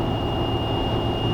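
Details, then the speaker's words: Jeep with roof-mounted light bar at highway speed (whistle only above about 45 mph): steady high-pitched whistle over road and engine rumble, air whistling through the light bar vents; light bar wind whistle. "there it is okay so you can hear that it's not terrible but on Jeep trips like we do Jeepers do you know it's Offroad and such you know 4 and a half 5 hours it's it's death to be honest"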